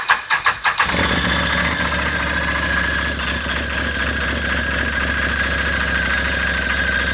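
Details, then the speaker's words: Can-Am Maverick 1000 UTV at start-up and idle: cranks and catches, then an uneven rattling chatter over the idle. "Well, you can hear that thing's already making weird noise. Now I've got chocks behind the wheels, so I think we should be okay. But you can hear it making noise. It's making like a chatter noise."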